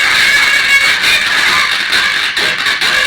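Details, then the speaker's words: 6283 IC based small amplifier (800 model), volume set to 50: loud, harsh, crackly music with a fizzy top and no bass. Circuit checks OK; speaker suspected of distorting the output. "तो सुन सकते हो मैंने volume 50 पर set कर दिया और speaker का जो साउंड है वो फट रहा है। क्वालिटी देखो बहुत ज़्यादा ख़राब है, साउंड क्वालिटी बहुत ही ज़्यादा फट रहा"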